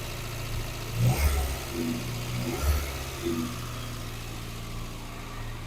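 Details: Morris Minor, revived after 12 months in storage, air filter refitted: engine picks up cleanly on two quick throttle blips and settles back to a steady idle; sounds healthy.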